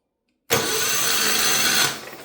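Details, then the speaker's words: Mid-80s Kawasaki KF82D-X 8.5HP engine: the starter spins it in a steady high whir for about 1.5 seconds without catching. Cranks but no spark because the CDI box has no power; a bad ground is suspected. "all right so it's cranking over now we need to power our CDI box I don't think I'm getting power it's not sparking"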